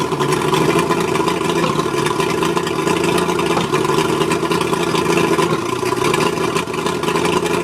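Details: Mercury 135 outboard rough idle: steady drone with a slightly uneven, lumpy beat underneath, like a cylinder not firing cleanly. Spark plugs suspected, not confirmed.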